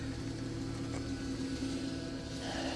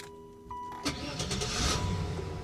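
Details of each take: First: 2011 Mercedes, cold, at idle: a steady faint low whine that doesn't change with engine speed. Suspected power steering whine that may fade once warm; not confirmed. Alternator charging. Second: Buick Roadmaster with 195,000 miles, serviced 1,000 miles earlier, restarted at a salvage auction: brief crank, catches at once and settles into a smooth, steady idle with no warning lights. Healthy start.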